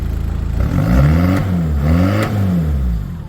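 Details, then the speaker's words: Talbot Express with swapped Peugeot 2.0 HDi DW10RHY diesel, 20 psi boost, BMW R70 fuel pump, MR2 intercooler, custom tune, revved while stationary: rises and falls smoothly with throttle, no knocks or misses, fuel pump audible; normal revving. "Runs clean as anything. sounds pretty good, too."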